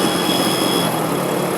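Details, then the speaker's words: Pulse Adrenaline 125cc motorcycle, ridden after dropping a gear: a buzzy metallic rattle over the engine at one particular rpm band; owner stripped the bike without finding the source and doubts the cam chain. "I have a rattle, an annoying rattle. You might be able to hear it. It's at certain RPMs."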